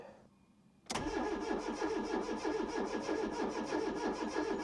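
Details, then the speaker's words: 1996 Fiat Cinquecento Sporting, 26,000 miles, abandoned 7 years, on a new battery: starter cranks strongly at about three turns a second but it never fires; no fuel delivery, with about half a tank of suspected bad fuel. "That's no fuel. It says we've got just under half a tank. So that's probably half a tank of bad fuel."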